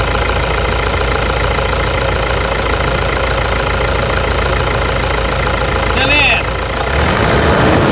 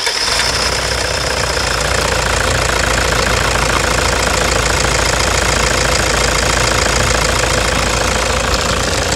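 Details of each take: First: 2009 Toyota Hilux diesel after replacing a stuck injector. Steady idle with even, regular clatter and no loud irregular knocking; injection sounds normal. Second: 2009 Toyota Hilux diesel idling with a stuck injector nozzle, before repair: very loud sharp knocking about two hits a second with rough shaking running, vibration and misfire.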